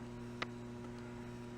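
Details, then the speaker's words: System 11 pinball machine just fitted with a replacement board, C caps redone, machine not working: steady low hum with faint buzz and a tick, apparently from the new board; owner suspects power supply. "there's some funky noise coming out of one of the boards because it sounds like there's a funky kind of hum uh coming out of I think this the new board"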